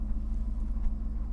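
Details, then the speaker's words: 2011 Jaguar XF Supercharged, 112,000 miles, steering and suspension issues, at Copart: deep, low rumbling V8 idle with steady even pulse, no ticks or knocks; sounds healthy and "mean". "okay well she sounds good I can't turn the steering wheel or anything else but I gotta tell you she sounds mean"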